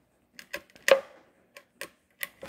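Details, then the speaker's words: 2007 Honda Ridgeline driveshaft, u-joint turned by hand: irregular dry clicks and gritty crunch from worn, dry needle bearings that bind, causing severe driving vibrations. "that's a nasty u-joint and that will cause a severe vibration especially if it gets just off to one side at all one way or another"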